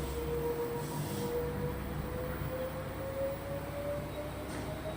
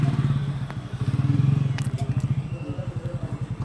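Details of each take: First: LG front-load washing machine after the LE-error drum fault was fixed, running at full speed: smooth rising motor tone as the drum climbs to speed, no knocking, grinding or rubbing; normal spin. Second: LG front-load washing machine (LE error) whose drum turns one way but jerks and stops the other way: low rhythmic thumping pulses, about five a second, as the drum stutters; hall sensor fault causing LE motor lock error.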